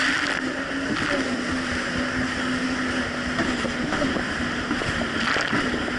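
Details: 2007 Yamaha VX Cruiser jet ski on the water after repair for surging/power loss: steady engine drone with water and wind rush, no surging or power dips; runs smooth under load.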